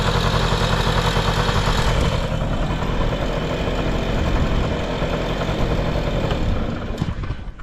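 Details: Vintage Honda Lead 90 scooter (HF05) on a running check: small engine idles with a steady, even beat, no knocks or rattles, quiet and healthy, then eases off; normal idle.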